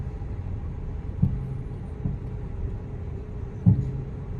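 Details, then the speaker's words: Nissan Almera, manual, warmed to operating temperature with AC on, driven slowly in first gear over bumps: dull low thumps over a cabin rumble. The cause is unsure at first (shocks, axle or hub bearing), then it sounds like the springs, shocks and top mounts. "Yan yung problema guys. I don't know if it's shocks, axle bearing or hub bearing."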